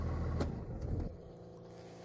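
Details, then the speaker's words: 24-valve Cummins diesel with a no-start / "no bus" fault that starts only with an OBD scan tool plugged in; running steadily, then stalls instantly when the tool is unplugged; electrical cause unknown. "All right, truck is running. Scan tool plugged in. Watch when I unplug this thing. Not touching the ignition. Do nothing. When I unplug it,"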